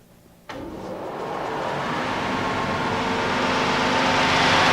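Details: Hammond 1000-VW 10-inch wet/dry platen belt grinder, 1980, 7.5 HP motor wired for 440 V, 10x90 belt at 3,400 SFPM: sudden switch-on, smooth rising whoosh to a steady hiss, no rubbing or knocking; normal running.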